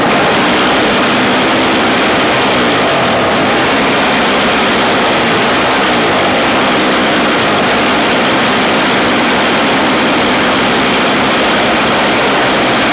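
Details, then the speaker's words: Toro CCR 1000 3 hp two-stroke snow-thrower, after restart with fuel in it; old stale gas had been sitting unused: loud raspy two-stroke buzz at steady speed, no stumbling; running normally, though the fault later recurs. "All right, we got it going for him. There was old gas sitting in there because it wasn't used, and let's turn it back on again."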